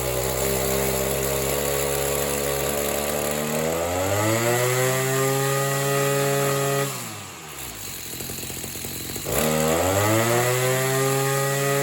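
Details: Oleo Mac BC240 strimmer, assumed 24cc two-stroke, warmed up after spark plug clean: revs climb, sag and stumble, then pick up, won't hold high revs; owner suspects a partly blocked in-tank fuel filter.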